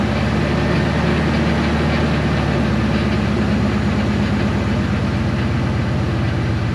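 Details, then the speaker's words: 2000 Ford F250 2WD at idle with a large Flowmaster muffler: even tapping pulse through the heavy exhaust drone; owner suspects a rod or main bearing knock. "i have a feeling this is going to be a rod knock or a main bearing knock or something like that"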